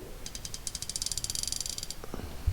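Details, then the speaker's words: Gearwrench 84-tooth ratchet: fast, even, fine clicking at about twelve clicks a second, light and uniform, with less back drag than the Icon; a healthy fine-tooth ratchet. "There is less back drag on these ratchets right here, the Gearwrenches, and you can tell it's an 84 tooth."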